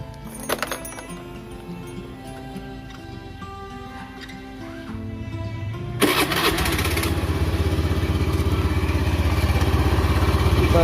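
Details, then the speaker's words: Honda Beat FI (first-generation injection) scooter, engine started and revved: coarse marble-like rattle from the CVT, traced on disassembly to a worn bearing in the CVT cover. "dengar bunyinya terdengar bunyi seperti kelereng terletak tetep biasanya untuk penyakit terdapat di bagian cover CVT ini biasanya untuk bearingnya udah aus"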